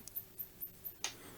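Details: 1986 Macintosh Plus analogue board power supply after a recap, tested with a resistor load: faint sharp ticks at 4–5 per second and no steady hum as the supply keeps trying to start. Owner suspects the load is on the wrong rail or is insufficient.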